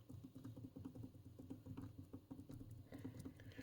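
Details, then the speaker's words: 1969 Philips PM5145 wide band generator (10Hz–12MHz), cover removed, turning the tuning dial of the big brass variable capacitor: quick irregular ticks; owner suspects the antique backlash gear or ball-bearing gearbox, plans contact spray. "I think there's something with this antique backlash gear here because it feels a little bit you can probably hear"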